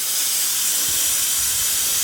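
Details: Engine off, intake pressurized with a cheap boost leak tester: steady, loud hissing rush of escaping air; boost leak around the intake manifold, suspected injector O-rings. Compressor read 15-20 psi but only 8 reached the boost gauge. Cause suspected, not confirmed.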